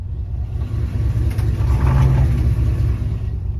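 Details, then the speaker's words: 1993 Chevy Silverado automatic (4L60E) failing to engage reverse: heavy, uneven rumble with rough thumping and no clean drive note; transmission worn out, later replaced. "All right, guys. So, at this point, I knew my transmission was toast."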